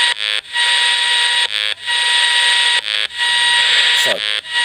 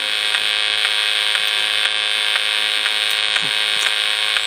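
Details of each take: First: Desulfator connected to a battery bank, picked up on a radio receiver held nearby: steady, evenly spaced buzzing bursts about every 1.3 seconds, matching its LED; normal desulfator pulsing, not the charge controller's tones. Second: Cheap PRC-made PWM solar charge controller on a battery bank of four 125 Ah AGM batteries (two 24 V pairs in parallel), heard through a radio receiver: steady high buzz with sharp clicks and strange tones every 20–30 seconds; extra hash likely from a modified square-wave inverter.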